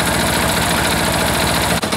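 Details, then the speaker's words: Freshly reassembled air-cooled diesel engine at a low idle the owner estimates at about 500–600 rpm, not wanting it much slower; slow, even clatter with steady firing and no misses. Normal idle. "there we go that's a nice little idle right there even kind of getting away on me that's probably 5 600 RPM maybe there"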